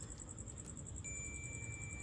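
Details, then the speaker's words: Inexpensive digital clamp meter set to continuity, probes touched together: a thin, quiet high-pitched tone starts about a second in and holds steady; the continuity test beep for a closed circuit. "यहाँ पे continuity है, continuity पे आपको check करके दिखाता हूँ कि क्या चीज़ है। ये कंटिन्यूटी पे आ गया है।"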